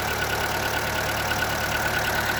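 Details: Seat Ibiza 1.4 BXW engine idling with a steady, light, fast, even knock over the engine note: piston slap, which this engine is known to be prone to.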